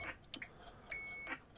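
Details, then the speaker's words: Formac 120 AM/FM CB radio, just fitted with UK40 offset board and aligned on frequency: sharp clicks then a steady high beep about a third of a second at transmit key-up, not normal; suspected from a previously fitted bleep unit, being reverse-engineered. "I don't know whether you can hear but it's making a tone when you actually key up and I'm sure that's not right"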